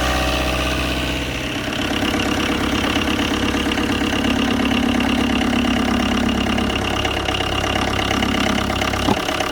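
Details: Tata Indigo diesel cold start after 5 years parked, fuel primed with the lift pump. A clattery idle with a slightly uneven beat at about three pulses a second. Rough idle after long storage.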